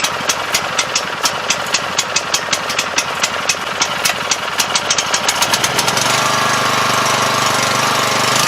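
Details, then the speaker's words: 7 HP Kohler air-cooled engine on a hydraulic power unit, unrun for at least two years, after carburetor cleaning: crisp, regular popping about four per second while cranking, then catches into a steady, even run; fires and idles cleanly. "may have to let it run an idle a little while to let all that stuff kind of get flowing again"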